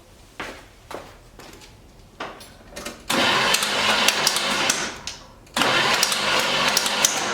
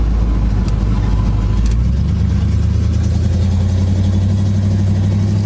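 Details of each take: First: 1976 GMC Sprint that ran fine days earlier: starter bursts spin the engine fast and light with no compression pulses and a thin clatter up front; owner suspects a broken timing chain slapping the timing cover, unconfirmed. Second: 1976 GMC Sprint on first test drive in 15 years, engine pulling under load: deep, even drone with steady rise in revs, no knocks or misses; normal engine running, motor sounds good.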